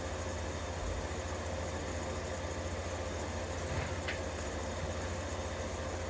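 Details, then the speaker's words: 1953 Fedders room air conditioner, 1/3 hp R12 Tecumseh S-series compressor after service; smooth even low hum with steady mains buzz and no knocks or rattles; normal compressor running. "Just listen to some nice Tecumseh S-Series noise for a minute or two while I go get the watt meter. Because I'm very curious to see what it's actually putting out. Man, that sounds good."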